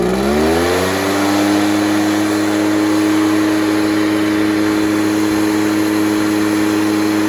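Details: Echo PB413H two-stroke backpack blower on a new aftermarket Chinese carburetor with an NGK plug, idling about 2,600 rpm on a wired tach; climbs quickly to a steady, even high-rev drone without surging or misfire; normal full throttle.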